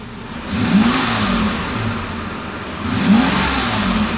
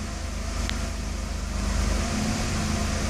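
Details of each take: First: 1992 Mercedes 600 V12, early production, with both throttle bodies repaired, not in limp mode, air pump audible; revs cleanly in three quick blips and drops straight back to idle; crisp, normal throttle response. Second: 1992 Mercedes S600 V12, early production, with limp mode deliberately induced (ASR fault, throttle bodies). The low idle swells and settles on its own instead of holding steady, because the throttles do not control idle. Unsteady idle in limp mode.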